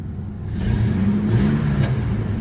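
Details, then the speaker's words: Chevy 4.3L Vortec V6 in an S10 truck, 274,000 miles, after fixing a worsening erratic misfire that followed a distributor replacement: engine pulls smooth and even through the rev climb, no misses, road rumble underneath. "It runs smooth. No, no misses. I'm thoroughly happy with it."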